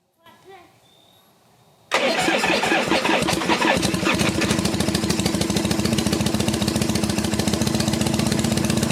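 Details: 1974 Harley XLH Ironhead Sportster, first start after sitting for years, ether used, about 90% choke, high idle: catches after cranking into an uneven, lumpy stumbling beat around 140 a minute; rough running, owner suspects the Keihin butterfly carb needs a rebuild.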